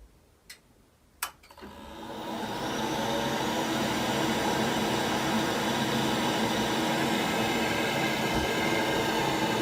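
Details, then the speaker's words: Worcester heat-only condensing boiler after condensate damage repairs and fan testing: two sharp ignition clicks then smooth rushing roar building within two seconds and holding steady; fires straight away, unlike before; normal firing. "Now let's turn the boiler on. It should fire straight away, he says."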